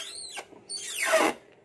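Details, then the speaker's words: Car windshield wiper: loud, high-pitched squeal rising and falling with each stroke, two strokes in under two seconds. The wipers also move slowly and are later fixed. "So saya akan tunjukkan masalah dia. Dia sangat bising."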